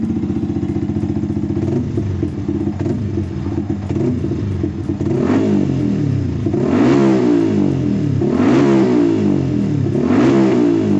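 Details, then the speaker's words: Motorcycle after injector cleaning, previously hard to start and stalling on throttle; starts right away, even idle, then crisp throttle blips rising and falling smoothly without stumbling; normal revving. "langsung bisa dinyalakan nya normal ketika di gas"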